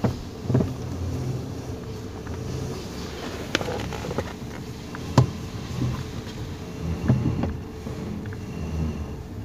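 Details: 2019 Toyota Rush at idle, steering turned left and right: sharp, irregular kletek clunks under the steering column, caused by a loose bolt and bushing; also rattles over speed bumps and steering pulls.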